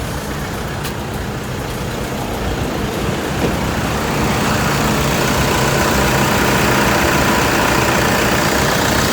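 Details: 2011 Toyota Fortuner 2.5 G diesel, one owner, at idle: steady, even low smooth rumble, no knocks or misses over the hiss; engine quiet and smooth, healthy.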